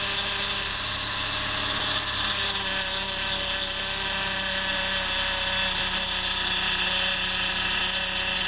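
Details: PT Cruiser engine running while turning the steering wheel: high, drill-like whine from the power steering pump, noisy also on start; fixed by filling the power steering fluid.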